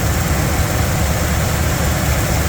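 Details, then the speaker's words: Classic truck V8 idling after a fix that seems to have cured the smoke, though the old gas may be toast. The idle is loud, steady and even with no puffing or ticking, running like a sewing machine. "yeah this thing's running like a sewing machine"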